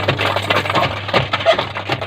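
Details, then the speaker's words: Washing machine running: irregular light clattering taps over a low motor hum, as if something is caught underneath; gearbox also suspected, source not yet pinned down. "ये देखो दोस्तों, इसके अंदर आवाज़ आ रही है जैसे इसके अंदर कोई नीचे फंसी वो उस चीज़ की आवाज़ आ रही है।"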